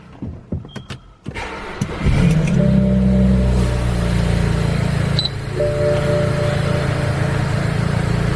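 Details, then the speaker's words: 2008 BMW 335i E90 cold start after sitting overnight, first start after replacing the EKPM2 fuel pump control module with an EKPM3 to fix long cranks. Brief crank catches instantly and settles into a smooth idle with AC fan hum. Healthy. "running nice I have my AC on smooth but that was a good cold start pretty instantaneous"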